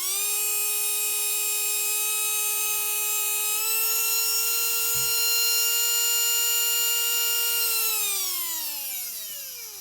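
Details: Rebuilt Tamiya Dynatech 01R vintage motor after stripping, cleaning, oiling bearings and timing adjustment: clean steady high whine at even pitch, brief step up, smooth wind-down; runs freely.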